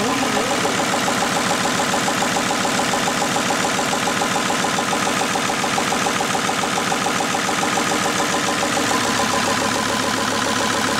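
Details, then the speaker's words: VW T4 Transporter converted from a worn 2.4 diesel to a 2.5 TDI (ACV, 75 kW) with a mechanical injection pump replacing the electric one, run briefly without a radiator; it started quickly. Steady, even five-cylinder diesel idle clatter with no misses; runs perfectly. "Takže nahrubo to máme složený, motoricky nám to běhá perfektně. Nám se to včera fakt podařilo nastartovat, dá se říct, za chviličku."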